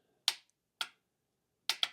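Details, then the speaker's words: MerCruiser trim pump assembly bench test, up direction: sharp solenoid clicks, four in two seconds, with no motor hum; solenoid is powered and working but possibly corroded contacts keep the pump motor from running, while down direction works. "That clicking is the solenoid. So, the solenoid is getting powered and physically working."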